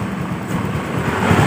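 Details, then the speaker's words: Honda Beat FI scooter after seized-piston repair, runs only with throttle held: uneven low rumble surging and sagging, won't idle alone; fuel pressure only 19–20 PSI versus normal 40–42 PSI from weak fuel pump. "ini bisa hidup motornya, tuas gas dipegang ya tuh. Ini tekanannya cuma 20 ya. Seharusnya ini 40 PSI ya."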